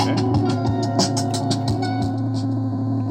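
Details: Anvox ACA 800 Gladiador active speaker (850 W RMS, 127/220 V): faint, thin music from a USB stick over a steady low hum and squeal; output stays weak even at full volume, and the hum appears at low volume too.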